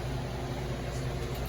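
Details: Duke soft serve machine after replacing the cabinet temperature probe for a cab temp error: steady low hum with even fan whir, no rattles; cabinet now reads 37, running normally.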